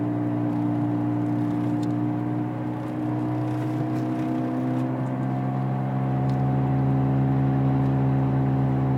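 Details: 2003 Honda Civic while driving: steady whirring drone over road noise that gets louder and faster with road speed regardless of gear; something turning with the wheels, cause unknown.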